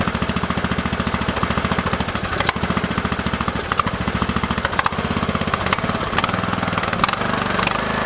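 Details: Craftsman LT2000 with Briggs & Stratton 19.5 OHV engine, repaired with new pushrods, guide plate and rocker cover gasket after dying mid-mow: single cylinder chugging with even steady beat, no misses, knocks or clatter; normal idle.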